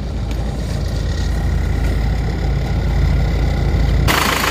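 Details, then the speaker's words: Isuzu Panther diesel just after reused original liners were reversed ('balik liner'), idling hot after a 50 km test drive; steady even clatter, no knock, and no more smoke from the oil filler, only oil vapor; very satisfactory. "suaranya seperti ini ternyata Hasilnya sangat memuaskan ya tidak keluar asap lagi di sini panas bila sudah atapnya sudah tidak keluar asap lagi teman-teman ini adalah asap uap oli saja"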